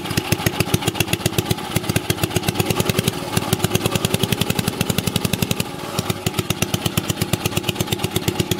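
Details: Old 2 HP Briggs & Stratton single-cylinder engine, already run earlier so started without choke. Quick, even popping with a steady beat, no misses or clatter. Normal running.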